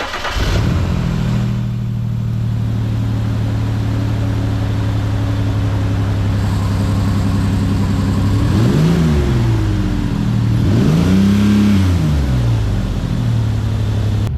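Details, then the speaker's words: 1995 Ford Explorer two-door, warm idle: slightly uneven loping beat, two throttle blips rising unevenly; missing on one cylinder, maybe two, cause unknown, being checked by cylinder temperature with a heat gun. "Now, from what I can tell, this thing seems to be missing on one cylinder. Maybe two, who knows. But it does run okay on the rest of the cylinders"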